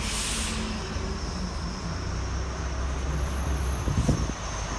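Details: 2016 Chevy Colorado, 7k miles: faint steady high squeak around 5 mph, brakes on or off, gone at stop or above 10 mph; traced to where driveline enters transfer case.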